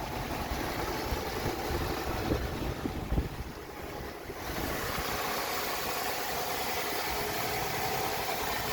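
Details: 2008 Lexus RX350 after serpentine belt replacement: quiet, even idle with no squeal, chirp or slap from the new belt, light wind in background; engine sounds healthy, normal idle.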